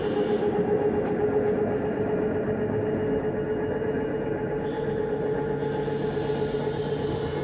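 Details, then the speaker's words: Living room slide-out of a 2023 Jayco Jay Flight 324BDS travel trailer retracting with doors and drawers closed: steady motor hum with constant mid-pitched whine, no grinding or clunks, normal retraction. "Then we're gonna bring in our living room slide. Again, we've made sure all doors and drawers are closed through here. Bringing all this in."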